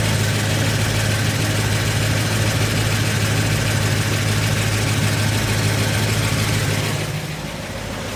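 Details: 1990 Ford F250 5.8L 351W speed density, 4WD, C6, 4.10 LSD, with upgraded Crane cam and lifters and new springs but original pushrods: light quick ticking about three per second over a lumpy V8 idle; lifter tick suspected, unconfirmed.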